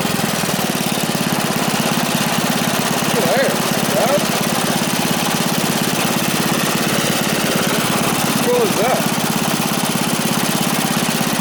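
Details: Free dirty small single-cylinder engine with bent rod and repeatedly welded pulley, reassembled and given gas; steady, even putter at constant speed with no misses or knocks, running smoothly.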